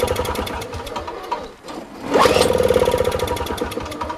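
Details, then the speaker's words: 1970s Nova snow blower from a yard sale, pull-start with fresh fuel and primed. It catches with a second of quick popping, then sputters out; fires but won't keep running, and the owner suspects it needs choke. "It tried. Maybe it needs some choke."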